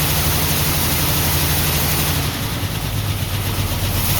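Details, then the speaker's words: 1949 Ford F1 with owner-rebuilt engine, first run after sitting 20 years, choke partly on, fuel pump just switched on, no working water pump: loping, uneven idle with a regular missing pulse; owner says it is missing on one cylinder. "It's definitely missing on one cylinder, but this is good."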